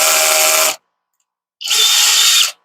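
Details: Cordless drill with a drill bit on a low clutch torque setting instead of the drill setting: two short high-pitched whirring bursts cutting out abruptly as the clutch ratchets off under load; torque setting too low for drilling.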